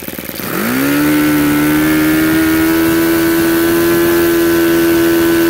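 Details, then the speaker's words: YS FZ 63S supercharged glow engine after rebuild with new throttle barrel seal, APC 12x8 prop, OS F glow plug, Omega 15% fuel (10,000 rpm high, 2,220 low): picks up cleanly from low to steady high scream, no stumble; healthy throttle response. "there you go you see the thrall response on these things is amazing they don't falter at any rpm"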